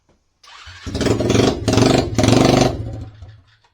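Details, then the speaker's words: SSR pit bike before repair, with the exhaust bracket broken and the muffler broken off: small single starts and blips with a harsh, very loud raspy bark on each rev. Loud exhaust from the broken muffler, to be welded back on. "like yep that's pretty dang loud"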